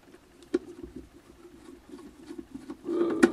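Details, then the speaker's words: ZD-985 desoldering station: a steady low internal buzz near 300 Hz with irregular ticks. The reviewer suspects a switching transformer or mechanical vibration; separately, the gun-handle trigger makes poor contact. "sounds like a switching Transformer of a quality and also the trigger in the gun handle here is not working well"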